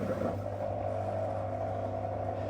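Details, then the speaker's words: Whirlpool SCW1112WH washer at the start of Quick Wash 30, after relay clicks: the drain pump runs with a smooth, steady low hum and constant mid tone. No rattle or grinding; normal operation. "There you go. A couple of relay clicks again. Drain pump on."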